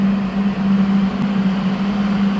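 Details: HL 1060Z 100W CO2 laser cutter water chiller just switched on (green LED lit): a steady low hum around 200 cycles with even fan rush, no knocks or rattles. The compressor is running smoothly; hot air blows from the back.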